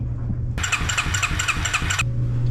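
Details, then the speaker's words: Suzuki King Quad ATV (owner thinks a 300, 1995-97), left outdoors for years. Rhythmic starter cranking with even compression pulses that never fires: the new fuel pump was installed upside down, so carburettor suction can't drive it and no fuel is delivered. "I install this upside down so the pressure from the carburetor the suction pressure is not going to work when it's installed upside down or backwards"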